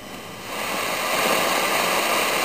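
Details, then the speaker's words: Zenith Trans-Oceanic Royal 3000-1, a solid-state 12-transistor multiband portable from about 1965, on a 12.3 V supply with the AM broadcast band at full volume despite strong local signals: only a steady hiss that swells with volume, nothing tuned in. No reception. "so turn it up all the way normal noise but nothing not a thing it's like there's no tun there"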